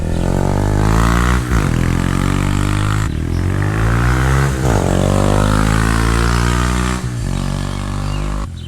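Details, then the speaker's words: Honda Grom single-cylinder, ridden hard, after a valve adjustment found the valves fine: revving up and down with a loud mechanical clatter over the exhaust. Owner suspects cam chain or bottom-end bearing; cause unclear. "i'm making a little noise i hope it's the valves gosh i don't know if it's a chain loosened up on me or something but it's making a lot more noise than it used to"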